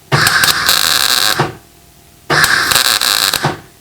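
Two bursts of even, crisp frying crackle, about a second each, with no popping or stutter: the wire feed and voltage are set right.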